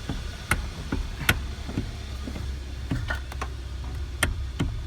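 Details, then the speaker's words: 2012 Hyundai Sonata with electric power steering, wheel being turned: sharp irregular knocks in the steering column from the worn rubber coupling on the steering motor (dealer part 563152K000FFF). "so the main issue that we're going to be having with this Hyundai Sonata is actually going to be this little rubber coupling that they sell from the dealership"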